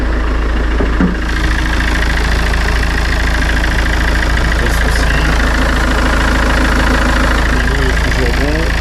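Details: Citroën C4 Grand Picasso 2.0 BlueHDi 150 diesel after head gasket repair and engine refit, later with no overheating, overpressure or fluid loss: even, steady idle clatter with no misses, hunting or knocks. Healthy.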